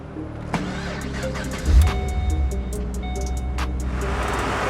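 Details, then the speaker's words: Holden VE Commodore SS V8 (badged LS3, possibly L98) at auction, about 240,000 km, coolant leaks and radiator-fan vibration; low, steady V8 idle burble with no knocks or misfires; engine runs great. "the engine runs great uh but yeah it's done a lot of k's as well"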